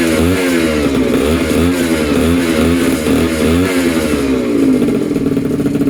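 Crisp two-stroke buzz climbs and drops cleanly with each blip of throttle, no misfire or rattle; this fresh rebuild runs fine.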